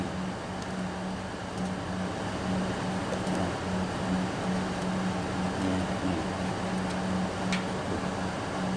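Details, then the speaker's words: Fan in an electrical box powered through newly wired relays and switched on: an even whooshing rumble with a faint steady hum and no knocks or catches. Normal fan running. "Nah sekarang saya mau hidupin nih untuk kipasnya biar hidup nih dengarin ya Tuh tuh tuh ya tuh kan gemuru kan tuh di dalam bok nih"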